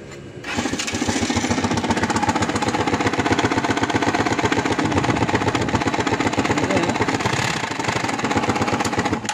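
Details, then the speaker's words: Rusi motorcycle with sidecar used for hire: a harsh grinding clatter about four beats a second over the engine. Chipped timing gear, a factory defect from an uncleaned crankcase. "Talagang pakinig nyo yun, yung ingay na yun. Talagang alam mo yung nagigiling. Makina."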